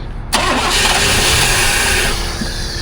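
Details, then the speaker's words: One-owner OBS Chevy truck, 60K miles, ran and drove the day before: fuel pump heard, engine catches and roars a couple of seconds, then sags and quits, won't stay running; cause undetermined. "So, it won't start. It does try to start, but it won't stay running."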